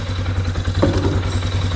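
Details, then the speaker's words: Sportsman four-wheeler idling after repair work, with some parts not yet reinstalled. A low, steady, even thump with one brief clatter and no knocking or misses; a normal, healthy idle. "sounds healthy in part oh got to finish putting this back on sounds good"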